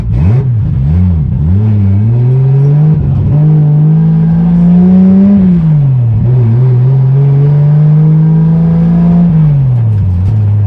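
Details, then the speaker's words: Budget 2JZ-swapped BMW E36 with a JDM VVTi engine on its first test drive; the engine surges and stumbles, breaking up badly under acceleration, and the owner still suspects a bad MAF. "so as you guys could tell the car was still breaking up really bad when we took it for the test drive"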